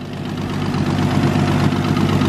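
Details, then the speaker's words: Freshly rebuilt Nissan RB engine in R33 Skyline at 60° temperature, timing correct, good oil pressure, no leaks; smooth low idle with rising viscous fan roar, no knocks; normal idle, fan noise normal. "temperature it's currently it 60° nice smooth a running"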